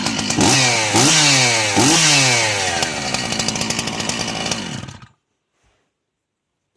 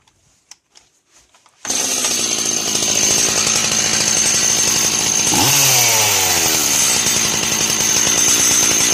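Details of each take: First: Chainsaw engine blips three times, then idles evenly with no metallic clatter on the clutch side after the clutch was removed; the noise-hunting was done by elimination. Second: Two-stroke chainsaw at a fast, even idle: a steady high metallic ringing that comes from the clutch assembly (weights, springs, drum), not from the engine bearings, even though the clutch is new.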